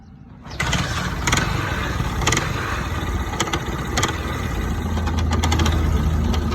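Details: 125cc bike engine before silencer cleaning: catches quickly then runs with an uneven, rattly beat and sharp clatters over the exhaust note; abnormal noise, cause suspected, not confirmed.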